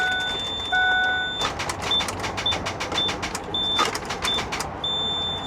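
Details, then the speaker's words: Ford E350 6.0 diesel bus at 75,000 miles: steady warning beeps and rapid dry clicking at about four per second with no cranking; suspected the starter isn't getting power. "oh that's not good it sounds like the starter isn't getting juice that ain't good at all and all this beeping what is all this noise"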